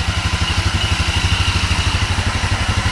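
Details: GY6 250cc CVT engine (Mega Hummer ATV), still cold, no choke, after valve clearance adjustment (intake and exhaust were too tight): even, round idle about four pulses a second, no top-end ticking; normal idle.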